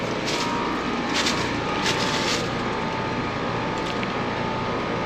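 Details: AC condenser: steady fan rush over a low compressor hum, no knocks or rattles; overall amps 12.2 against a 16.7 compressor rating, running normally.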